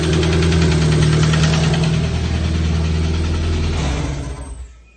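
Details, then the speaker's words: K24 engine idling with a steady rapid knock of about four per second that seems to come from behind the timing cover; it persists after ruling out the VTC gear. "It sounds like it's coming from right behind the timing cover. All right, so it's obviously not fixing itself."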